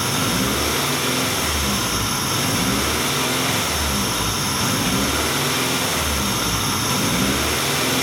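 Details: 1994 Acura Integra, 1.8 L DOHC engine: loud idle swells and dips about every two seconds with no throttle change, warm surge recorded while the idle air control valve duty cycle is scoped; computer appears to be trying to close the valve.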